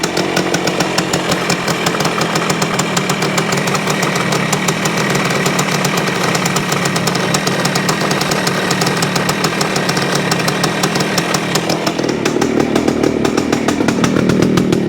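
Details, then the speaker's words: 1973 Yamaha CT-3 175 Enduro two-stroke won't idle properly and runs rough with occasional misses; owner suspects bad main crankshaft bearings, with crank up-and-down movement opening the points too much. "see the the roughness it is like it misses one once in a while and I think that's from the up and down movement that we're seeing here"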